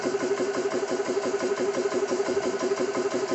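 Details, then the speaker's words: Xisico CS3 4500 PSI 12/110V portable compressor, first startup after oil fill, bleed valve open running unloaded, rated about 75 dB, oil level in sight glass fine: even chatter about three beats a second, constant hum, no knocks; normal running. "So compressor's running. They say it's about a 75 decibel for sound value here."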